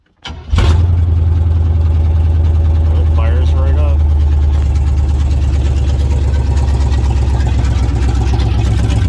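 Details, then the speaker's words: Chevy truck with apparently replaced distributor cap and rotor, no exhaust system, only straight headers, started up: it catches quickly, then settles into a very loud, deep, raw rumbling idle with no muffling; open header exhaust. "But anyway, let's go ahead and start it up. There's no exhaust on it at all. Only the straight headers."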